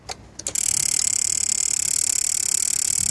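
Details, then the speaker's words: Citroen XM 2.5 diesel, Bosch VE type pump, no-start with only 3 V at ECU; ECU fed 12 V by jumper wire, weak battery. Abrupt steady high-pitched whir with fast even pulse about three per second, stopping after about 30 s; injection pump self-test whir. "i have fattened it a bit but we are pumped self-test or whatever it is it does it stops after about 30 seconds or so"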